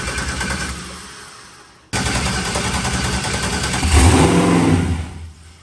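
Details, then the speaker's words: New LS-swapped forced-induction Mustang (TKM V8, Holley intake), freshly started for the first time: uneven stumbling idle, about 214 beats a minute, then blips up; a slight misfire as the fuel map is still being tuned. "It sounds great. I had a little bit of misfire thing to it, but he's going to fix that up real quick."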